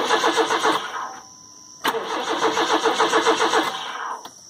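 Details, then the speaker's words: Crank, no-start after a new battery was fitted: two cranking bursts at about four beats a second, with no catch. The owner hears no fuel pump kick in and suspects a dead pump on the CPI engine; not confirmed. "okay I think the fuel pumps out of it I'm not hearing a fuel pump kick in so yeah I'm not hearing a fuel pump"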